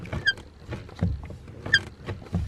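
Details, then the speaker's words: BMW E60 clutch pedal, intermittent fault: sharp chirpy squeaks with each pedal stroke about every half second, only near the top of travel; suspected clutch pedal itself or pedal box, dry pivot and spring needing grease. "see it's only kind of at the top of the pedal it's not it's not right down okay so from that squeak i'm thinking that it's something to do with the clutch pedal itself or something on the pedal box"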